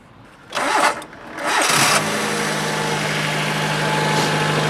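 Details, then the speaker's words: Used Japanese car, start after a look at a rear-end-damaged body: the starter spins briefly, cuts out, cranks again, then settles into a steady idle; a hard, laboured start, which the seller blames on a battery run down by the music. "okay is this always how it starts I mean with these sounds that's because the music was on the battery's running down yeah the battery"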